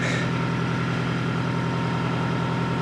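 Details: 2002 Toyota Camry 4-cylinder, cold start at 7°F: busy, fast ticking over a steady low idle right after start-up; cold start valve clatter.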